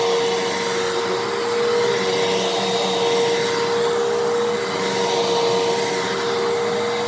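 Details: 12 Amp Fantom Fury upright vacuum, made October 2000, after clog repair, cleaning carpet: steady strong motor whine and even hum, no surging or rattles; normal running with good suction.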